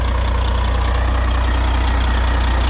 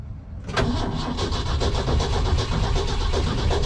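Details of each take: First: Cabover diesel truck "Betty White" idling with a newly replaced air dryer cycling: deep, smooth diesel rumble with an even low beat, no knocks or misses; return fuel was seen flowing back. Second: Truck cranked with a little throttle: the starter churns steadily for several seconds but it never fires; owner puzzled since about a gallon to a gallon and a half of fuel was added.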